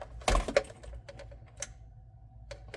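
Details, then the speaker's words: 1978 VW Super Beetle, battery at 12.73 V with meter connected for a charging test: a few sharp dry clicks at the key, no cranking or catching; starts only about half the time, owner suspects a bad ignition switch. "This thing is only starts about half the time on that key. Oh man. I think it's got a bad ignition switch."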